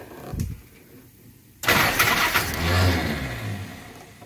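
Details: First start of the engine after last-minute carb setup: brief cranking, then runs rough, lumpy and smoky for a few seconds, smoke coughing from the oil bath air cleaner, then dies; fuel delivery not dialed in, cause suspected, not confirmed.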